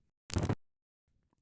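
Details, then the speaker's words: Panel telephone switch, district brush selection: sender counts revertive pulses "0, 1, stop", then district sequence switch makes two sliding "thhip" clicks with quiet gap, stepping cleanly into position; normal. "For our district brush selection, the sender will count "0, 1, stop!" Once the selector has stopped at one, we hear two more "thhip" sounds."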